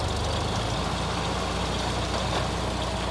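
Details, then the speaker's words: Geo Metro boneyard car cold-started on a 20°F February day after sitting 4-6 months, hand-primed fuel pump, loose battery cable fixed: small petrol engine idling steady and even, no knocks or misses; healthy. "Well, that's been sitting for at least 4, 5, maybe 6 months. Not too bad."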